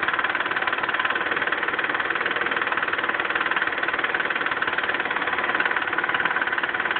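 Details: Mitsubishi 3000GT V6 idling with a sharp, regular tick about four per second, even and constant; owner suspects left lifter not getting oil and too much oil at the right camshaft end; cause unconfirmed.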